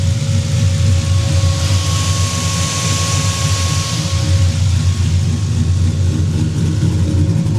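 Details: Drift car after fresh 20W-50 oil change, warm at 175°: steady, even low idle with cooling fan whooshing, 50 lbs oil pressure at idle; sounds healthy; normal idle.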